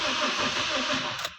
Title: 2007 TOYOTA COROLLA/Engine Normal Cranking/No Start/Cause & Remedy(Part 2)